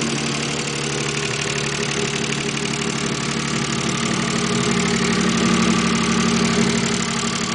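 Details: Mazda K8 V6 idling with a loud, regular knock about three beats a second, starting after the left camshafts were removed to change a retainer; owner believes timing belt is set right and the tensioner is fine; engine knocking at idle.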